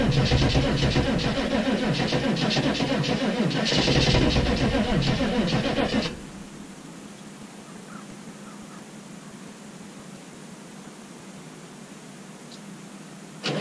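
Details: 6.5 turbo diesel cold start at -15°F: laboured cranking at about four turns a second for six seconds, then it quits without firing. Slow crank, no start from drained batteries; the owner believes only one battery was connected because the other had a poor connection.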